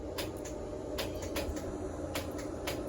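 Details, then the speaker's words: 4th-gen Camaro after a T56-to-TH400 manual-to-automatic swap: the trans brake solenoid clicks sharply, about eight times in three seconds, each time 12 volts is bumped to it from a switch, showing it works. "So I hear it clicking, means the trans brake solenoid's working."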